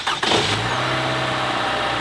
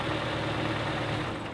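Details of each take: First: Four-cylinder engine, 130,000 miles, very dirty oil, warm restart: faint light valve rattle with no metallic knock, because the variable valve timing system already has oil pressure; it knocks only on cold startups. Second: Toyota RAV4 with over 100,000 miles, after an oil change: smooth, even warm idle with only a faint light valve tick, normal for the mileage; earlier noise gone and oil light no longer coming on.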